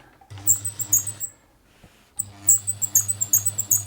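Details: Poorly maintained Bernette 50 sewing machine in for service: sharp high squeaks repeating each stitch cycle over a soft low hum, like a dry unlubricated mechanism; source being tracked down, not confirmed.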